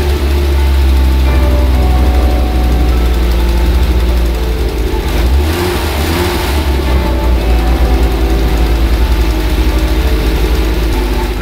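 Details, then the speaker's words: Audi 200 Quattro Turbo after timing kit and some ancillaries were replaced and fresh fuel added; steady, deep engine rumble at an even pace with no knocking, ticking or misses, starting and running correctly. "démarre toujours il tourne correctement on va dire qu'on a réussi"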